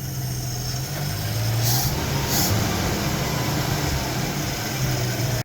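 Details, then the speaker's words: 1973 AMC Gremlin, 30 years in a barn, cold, choke not pulled, ignition wired straight to the coil, carb not rebuilt: even low idle with a slightly uneven pulse, quiet with no knocks or ticks; normal cold idle. "So sounds pretty good. Nice and quiet, no engine noises. Just amazing with that carb. I didn't rebuild it whatsoever. Still cold here and I didn't pull the choke."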